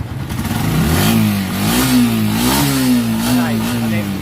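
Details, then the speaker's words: Honda TMX125 motorcycle after removing a plastic seat cover that had been restricting airflow, causing misfire and bogging: revs climb and drop smoothly with crisp, even firing; engine now pulls cleanly. "Nawala na 'yung parang napipigilan ng takbo ng kanyang motor. Yung hangin na kinaos kanina okay na."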